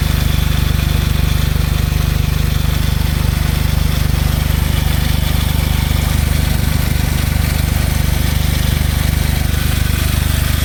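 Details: Smart Roadster small petrol engine at steady idle with a fast, even clacking over the engine hum, about three to four per second; owner asks if normal, suspects valves or timing chain.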